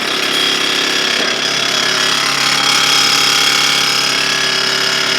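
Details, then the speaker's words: Smiths heater blower from a 1959 Triumph TR3A, run before restoration: loud steady rushing fan with rough rattling buzz while debris blows out; owner may oil the bearing and expects it to quiet as it runs. "actually doesn't sound too bad we'll probably uh see if we can oil the bearing in there once we take it apart let's Let It Blow all this other stuff out here that actually will probably quiet down a little bit as it runs for a little bit longer"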